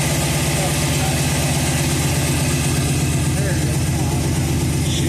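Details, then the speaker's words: Budget cammed 5.3 L V8, first start after install, rich-running: uneven, loping idle with a stumbling beat and rich chuff, missing when given a little gas; passenger-side bank coil packs were left unplugged, so that bank isn't firing. "I uh St to give a little gas notice right away it was missing I forgot to uh plug the coil packs in on the uh passenger side Bank there"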